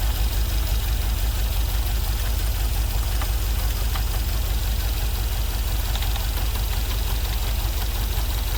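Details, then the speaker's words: LS-swapped GMC Vandura, first start after ECU flash: loud, lumpy idle with an uneven stumbling beat about three pulses a second, running on five cylinders; a couple of injectors not firing, misfire. "It's only running on 5 cylinders. Looks like a couple of the injectors aren't firing."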